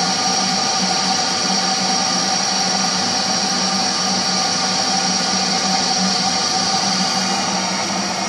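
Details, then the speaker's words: Viessmann gas boiler, no gas flowing, failed ignition with no flame rectification: loud steady fan rush with faint hum; safety purge clearing gas from heat exchanger before gas valve reopens for next of its 3 ignition attempts. "Boiler's recognised there's no ignition, no flame rectification. So it goes back through its safety purge to remove any excess gas from the heat exchanger. Once the heat exchanger is completely purged and clear, they'll operate the gas valve again and go to the ignition phase."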